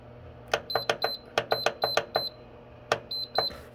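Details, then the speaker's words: Amish heater after cleaning out dust, on its highest setting: about a dozen short, sharp beeps at power-on and button presses over a faint fan hum. The power button lights and hot air comes out; the heater is working. "Okay, well, one positive thing is that it beeped when I turned it on, Looks like my power button's lit up."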